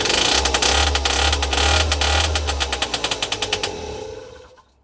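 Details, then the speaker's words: 2007 Peugeot Speedfight 50cc two-stroke moped with a near-new Viper exhaust: harsh, loud rasp then loose chuffs winding down; silencer wadding is missing or burnt out, and refitting it should quiet it and restore back pressure. "take the wadding in that's all this needs put the wadding back in the exhaust that'll quiet it back up again give me more back pressure"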